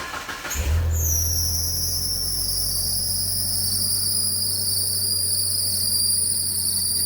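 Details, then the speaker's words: Old Mitsubishi Pajero that had been knocking, first start after valve train and timing belt work with timing marks and balancer aligned: cranks, catches, settles to steady even idle with no knock. "Стука нет."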